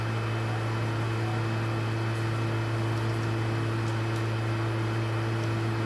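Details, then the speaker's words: PlayStation 3 that owner reports is very noisy and shuts off by itself: loud, steady fan roar with a low hum that never changes, the console's cooling fan running hard the whole time; loud cooling fan noise. "Mas na moral, que turbina, hein?"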